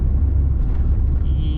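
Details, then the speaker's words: Car driven under light acceleration after clutch repair for a clutch rumbling noise: steady low drone, no clunks, clutch now smooth, knocking gone, exhaust realigned and no longer noisy; normal driving. "Aí a gente dá uma aceleradinha. O carro ficou bom, a embreagem ficou macia."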